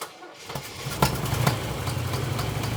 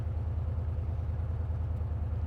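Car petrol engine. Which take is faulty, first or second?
first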